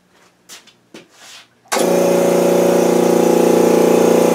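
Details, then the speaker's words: New Makita MAC2400 air compressor starting and building tank pressure: sharp start, then a steady even hum with quick regular pulsing. Normal running; it fills from empty in 1:21. "I will turn it on and let you hear what it sounds like when it's building up pressure"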